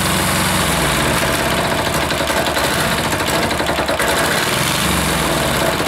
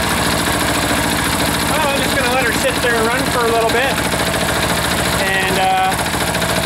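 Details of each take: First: Air-cooled single-cylinder diesel just reassembled, idle adjustment off: uneven stumbling, surging thump instead of steady idle, smoke; rough running, owner suspects air in fuel line or leaking fitting sucking air. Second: Freshly reassembled air-cooled diesel engine left idling to burn some fuel; even, steady clatter with no misses or knocks throughout, looks somewhat happy. Normal idle.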